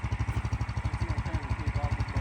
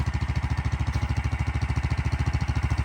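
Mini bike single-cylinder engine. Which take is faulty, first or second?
second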